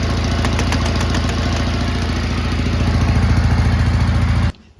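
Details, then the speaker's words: Big riding mower with a new key switch: steady single-cylinder idle stumbles and dies as soon as the lights are switched on. The lights blew a fuse and their plug shows burn damage; owner suspects the lights draw too much current. "just died. There the lights when I got this were unplugged. Maybe there was a reason for that."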